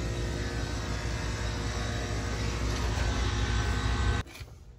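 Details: Three-phase HVAC blower motor tested with the faulty contactor bypassed, before both contactors are replaced (melted wires, broken contact point). It gives a steady, even low hum with no knocks or grinding, then cuts off abruptly.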